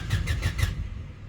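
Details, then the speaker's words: Honda Civic EK SOHC VTEC with new fuel pump, pressure regulator and filter: a short burst of starter cranking at about six pulses a second, then quiet with no pump hum and no fuel delivered; relays and fuses are being checked next. "So, I'm putting my key in the ignition. Trying to see if we even hear the pump. Nothing. Nothing. Nothing. No fuel coming out still."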